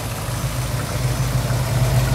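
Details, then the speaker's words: 1976 Ford Bronco original survivor, 302 V8 with electronic ignition, no smoke. A low, smooth, steady burble with no misses, knocks or hunting: a healthy normal idle. "well let's start it up and I'll let you hear it it's a pretty smooth running 302"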